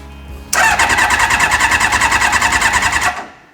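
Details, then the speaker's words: Reliant with motorbike engine swap, choke pulled, fuel pump just wired: starter churns about three beats a second under three seconds, no firing; cranks but won't start, fuel delivery to carb unconfirmed. "if this doesn't start I'm going to have to see if the fuel is actually pumping"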